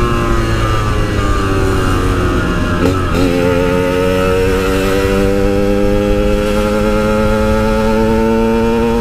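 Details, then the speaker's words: Yamaha RX King two-stroke riding after fixing misfiring/stutter at high rpm while riding, checked from spark plug and coil onward: clean, steady rising buzz at high revs, no stutter or cut-out. "udah enggak ada brebetnya lagi di atas enggak ada limit-limit lagi"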